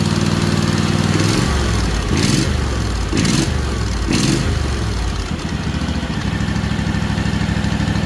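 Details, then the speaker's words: Freshly rebuilt Kawasaki FR730V V-twin in a Cub Cadet SX60 mower, first run after install: even twin beat with a few throttle blips settling smooth, no knocks or misses; owner says it doesn't sound bad; normal. "What do you think, guys? Don't sound bad, does it?"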